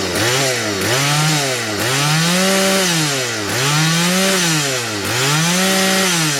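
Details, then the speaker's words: Stihl 180 chainsaw with replaced piston, warmed up, at high revs: note sags and recovers about every 1.5 seconds, smoothing when a finger covers the air intake; idle is fine. Lean hesitation, suspected from the main (high-speed) jet. "коли я ставлю палець зараз подивлюся вона буде нормально працювати коли я забираю вона буде мати провали"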